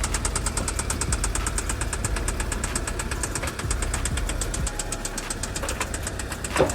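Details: Audi A3 8P idling with a steady sharp deep metallic knock about five or six per second; owner suspects bottom-end knock, at worst crankshaft, main and rod bearings, or worse damage; unconfirmed.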